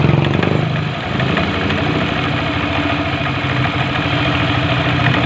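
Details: Yamaha NMAX scooter after a rough, grinding engine noise was repaired in the belt drive area: steady, even idle with a smooth low putter and no rattle or knock; sounds healthy after the fix.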